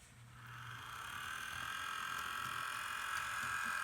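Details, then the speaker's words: Bachmann Rail Chief BNSF GP40-2 model locomotive on new controller, throttle up to 40: steady high-pitched grinding whir with rapid ratcheting chatter as the motor runs up, pointing to rough, noisy drive gearing. "This is a Rail Chief train set, GP40-2 by the BNSF Railroad, and it doesn't sound happy. Even on my new controller, it doesn't."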